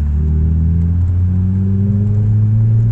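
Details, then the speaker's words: Ford Mk3 Mondeo track car, unmoved for months, with rusty brakes: deep, even engine hum rising slowly under light throttle while driving, no knocks or rattles; sounds healthy. "know it sounds nice yeah I should probably not be giving it too much gas considering the the state needs that the brakes are currently in"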